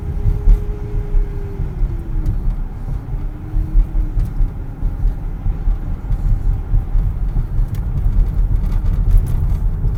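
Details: 2010 Dodge Journey: low engine rumble with a faint groaning tone rising and sagging, grinding while accelerating or steering; cause was the power steering pump, replaced and fixed.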